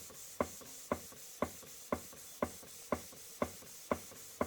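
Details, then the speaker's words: Model 19th-century Mary beam engine, first run in years on compressed air after oiling, run slowly: crisp even puffs about twice a second over quiet background; running smoothly. "If you ever go to a museum and watch the full-size ones running, this would be maximum speed. They don't run very fast at all."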